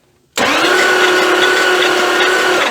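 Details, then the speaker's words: 1979 Dodge D300 one-ton truck, sat abandoned in woods 20+ years, during a compression test: starter spins fast and evenly with no compression beats; cylinders reading zero compression, one showing about 50. "zero that's great zero that's great I see a theme happening right here fell she ain't never going to start with zero compressions"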